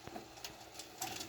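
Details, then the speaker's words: Panasonic PV-1780 VCR after clock repair: faint irregular clicking and light whirring from the tuner, noise absent before; missing internal ground suspected, cause unconfirmed. "So the last video I did, there wasn't this noise on the tuner like there is now."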